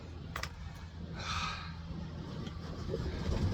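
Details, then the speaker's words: 55 hp sailboat diesel starting just after a replacement starter was fitted: a short clatter, then a steady, low, even rumble with cooling water coming out of the exhaust. Normal start and idle. "Oh yeah, there it goes. And there's the water coming out."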